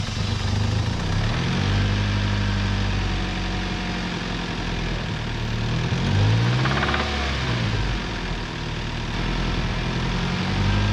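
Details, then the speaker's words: 1997 Toyota Tacoma 2.4L 2RZ-FE after oil pump failure and new bearings, fine metal still in oil: uneven idle with dull irregular low knock about three or four times a second; stethoscope rules out valvetrain, probably not mains, hard to pinpoint, likely rod knock. "I'm having a hard time actually pinpointing it on the block, which could be indicative of a rod knock. It's definitely not a main in that case."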